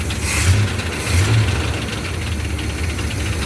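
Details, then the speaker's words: 1979 Chevrolet C10, 350 small-block V8 with roller cam: steady idle with dry metallic rattle from the back of the engine; zero oil pressure shown, cause undetermined. "It's still got the noise. Hear it rattling back there."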